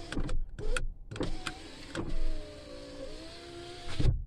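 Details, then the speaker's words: Nissan Frontier (same check applies to Pathfinder/Xterra) power window: switch clicks, then a steady motor hum with slightly falling pitch as the glass travels. This window motor works normally, while the passenger-side window on the same truck doesn't move. "that one is working okay right here"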